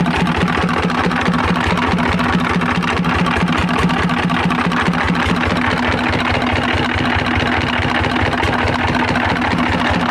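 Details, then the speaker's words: Single-cylinder diesel engine driving a machine, running with no exhaust and no air filter fitted: loud, steady, even beat, no knock or irregular clatter; still productive, healthy running engine. "Nah ini sudah kita hidupkan. Baik sahabat, ini mesinnya seperti ini, nggak ada knalpot dan juga filter udaranya nggak ada ya guys, jadi trugul seperti ini guys."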